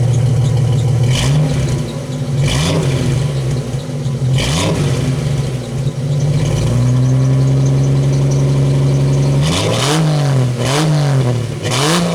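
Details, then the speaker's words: 1991 Jeep Wrangler YJ after catalytic converter delete and new two-chamber Flowmaster-style muffler: sharp revs dropping to steady idle, deep even exhaust note, no rattle, a bit louder than wanted; exhaust sounds healthy. "not too shabby it's a little louder than i really wanted it but hey it's okay i'll live with that but right now i'm not running any catalytic converter straight through that little uh two chamber flowmaster knockoff"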